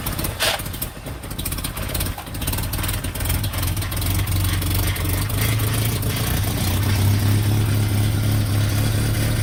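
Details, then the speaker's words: Third-gen Toyota pickup after a fuel pump replacement; cranks, catches and settles into a steady low rumble that smooths out and holds, though the run was short; starts and runs. "well that was short-lived but it started and i said that we were going to get it started in a few moments and we were successful"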